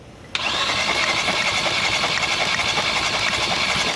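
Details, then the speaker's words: 2017-2018 Kia Rio 1.6 L four-cylinder hydrolocked after driving into floodwater, plugs removed for compression test: fast, strangely even cranking with no compression pulses; a cylinder shows zero compression, suspected internal damage. "that's not making compression let's check something real quick"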